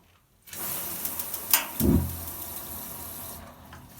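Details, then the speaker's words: Camper gas boiler ignition: single sharp metallic tink click as the gas valve opens, then a soft thump and steady rush as the burner lights; normal, whereas no click suggests gas pressure too high or too low. "This is a video about gas boilers, camper ones. Uh you need to It's a large tink noise when um you fire it up."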